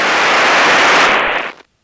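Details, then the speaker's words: Light aircraft radio, squelch knob pulled: loud even hiss for about a second and a half, then cuts off; normal open-squelch noise. "Com one makes this hissing sound which goes away after a while. And when you're on a box like this, if you pull this knob, it makes a hissing noise."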